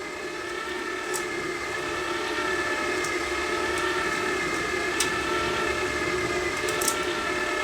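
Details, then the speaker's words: Three-in-one gasless flux-core MIG welder after the drive roller tension was adjusted: a steady, even feed motor whine with no dropouts and a few light ticks. The wire feeds through the gun without slipping; normal wire feed. "not slipping we're driving the wire through all the time I can feel it coming through the gun"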